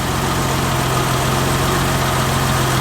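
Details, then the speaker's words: 1990 BMW 325i E30, cold first start after timing belt, water pump, seals, hoses, cap, rotor and intake cleaning: smooth, even idle with steady low hum, no ticks, knocks or misses; former idle surge gone; normal idle. "Yeah, engine sounds fantastic. Before the idle surge was vroom, vroom, vroom, vroom."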